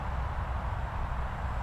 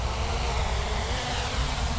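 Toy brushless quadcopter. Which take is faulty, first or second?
first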